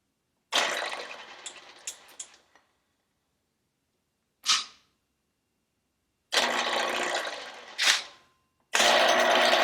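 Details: Motorcycle cylinder being bored on a 1948 Kwik Way boring bar, another pass after adding three thousandths depth of cut: a few short cutting bursts, then a steady unbroken hiss as the tool cuts all the way around the bore.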